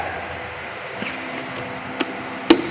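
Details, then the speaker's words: Motorcycle starter relay bench test powered from a battery: two crisp clicks about half a second apart as the coil energizes and contact plate closes; relay working normally. "Aliran positif dan negatif ini akan terhubung dan berbunyi klik."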